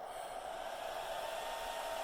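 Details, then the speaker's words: Anycubic i3 Mega 3D printer during silent-driver mod, newly added small cooling fan blowing across the board: steady high-pitched whir with airy hiss, incredibly loud, so it will be swapped for a quieter fan. "that fan is incredibly loud so I'm going to pull it"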